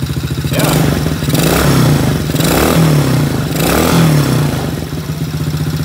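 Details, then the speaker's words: Kids' ATV small engine after carburetor cleaning: three clean rev-ups that drop back to idle, crisp, strong and even, with a little smoke off the muffler from apparent oil drippage; no adjustment needed. Normal revving. "Got a little bit of yeah, it's actually sounding really good. A little smoke coming off the muffler there. Looks like maybe it's got a little oil drippage on there, but the motor actually sounds really, really strong."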